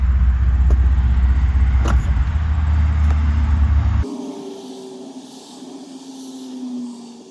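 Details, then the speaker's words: 2000 Chevy Blazer ZR2 at operating temperature after highway drive, charging 14 volts at idle, DRLs off: even steady low idle rumble then clean shutdown; normal warm idle, though it later wouldn't restart. "So, I'm still idling 14 volts. Daytime running lights are off."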